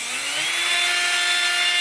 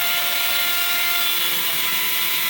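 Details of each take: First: 3018 CNC upgraded brush-type spindle motor for PCB milling, run at 100% after 50% soft start: thin whine rises and holds high once at full speed; motor and bearings pushed to their limit, better when slowed. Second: 3018 CNC upgraded brushed spindle motor, slowed down from 100% where it whined; even high whine with a few steady tones and no roughness or rattle at the reduced speed; normal spindle running.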